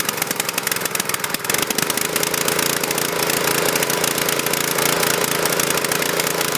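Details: Husqvarna PW3200 pressure washer, Briggs & Stratton CR950 208cc single, submerged in Hurricane Ian flooding, fresh fuel, choke off: fires and runs with fast uneven chatter and slightly hunting beat; running a little rough.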